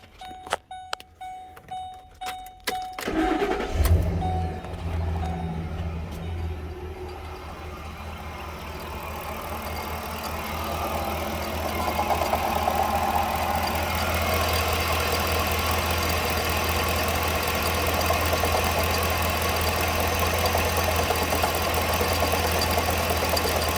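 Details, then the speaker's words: 2011 Ford Expedition 5.4 three-valve V8 with over 200,000 miles, about 2 quarts low on oil, seized A/C compressor: cranks, fires and idles with a rough, regular knock about three beats per second; engine knocking at idle. "This, you hear it pretty clear. That knocking type issue, that's another thing."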